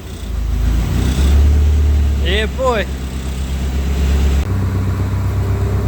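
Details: Freshly built 5SGTE Beams engine in a Toyota Celica GT-Four ST185 rally car on first start: a strong, deep note swells under revs and settles back steadily, with no knocks or rattles. Oil pressure is healthy and it sounds healthy.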